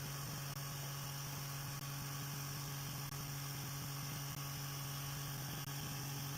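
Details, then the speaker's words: Brand-new small motor with rotor rebalanced using blue tack after alcohol soaked in and upset balance, now drying out: steady low hum with only faint soft beats, less vibration and quieter than before; output 62 mA. "It definitely feels less vibrated, less. It's definitely quieter now than it was."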